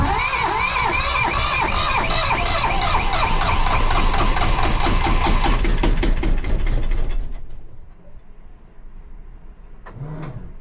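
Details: 1982 Catalina 30 sailboat engine after exhaust manifold replacement (blocked manifold had cut cooling water flow), thermostat refitted, water pump rebuilt, hoses reconnected: catches and settles into a steady, even beat for about seven seconds, then shuts down; normal start and run.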